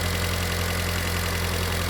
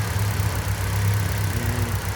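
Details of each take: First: Mitsubishi Lancer 1.6 petrol/LPG after repair of injector plug, coil and module, warm engine near operating temperature, where surging and stalling once occurred: steady even low hum with no stumbles or misses, idling smoothly and correctly. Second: Mitsubishi Lancer 1.6 running on petrol and LPG, with misfires and stalling, after a short warm-up at idle: slightly uneven, lumpy beat instead of smooth hum; cylinder 1 misfiring.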